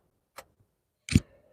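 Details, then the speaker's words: 250k-mile Subaru: two sharp clicks about three-quarters of a second apart in a quiet car, repeated relay and AC compressor clutch switching, annoying enough that the car is shut off; normal cycling. "I'm going to turn the car off because that uh that clicking noise is getting on my nerves it's it's hurting me from explaining things"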